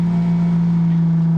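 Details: Fiat Punto 8-valve engine swapped into a Fiat Panda, turbo fitted, out of gear, fuel pumps primed: the immobilizer has lifted after reading the key and the engine starts, settling into a steady, even low idle with no knocks, misses or surges. Normal idle.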